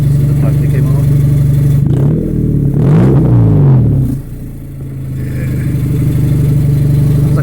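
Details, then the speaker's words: 2000 Honda Civic: rusted resonator (B) pipe broke off below the cat/header unit. Loud, raw, almost turbo-like roar that swells and rasps on a quick rev. Exhaust leak from the broken pipe, before replacement. "so my exhaust my exhaust pipe just came off it rusted out you could hear that"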